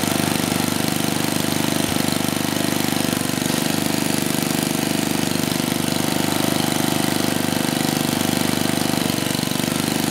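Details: 34-year-old Tecumseh H30-35387Y single on a Troy-Bilt Tuffy tiller, with a new clone carburetor after a no-compression repair; steady fast beat, about three and a half pulses a second, even with no misses; running normally.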